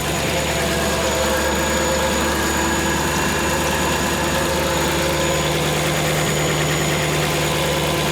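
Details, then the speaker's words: V8-swapped Ford Capri at idle with a big exhaust leak blowing at the back and side of the 'pump' (as stated). A sharp puffing hiss rides on the exhaust beat. Smaller leaks are also known; a new exhaust is planned. "Alright, so let's have a look at this exhaust leak first. Check in. Oh, we do have the back of this pump is blowing out there."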